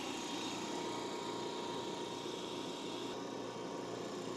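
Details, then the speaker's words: New Eastwood QST 3060 scroll air compressor on first run: smooth even hum and whir, no knocks or rattles, meter shows pressure building normally before shutoff. "so our meter shows that we're building pressure, so I'm going to shut it off."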